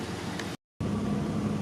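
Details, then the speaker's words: WJ Jeep Grand Cherokee at warm idle after EVAP leak repair and codes cleared: soft regular purge-valve ticking with no vacuum-leak hiss; normal EVAP purge operation, system sealed. "Hear it? It's purging. You know what you don't hear? Don't hear hissing."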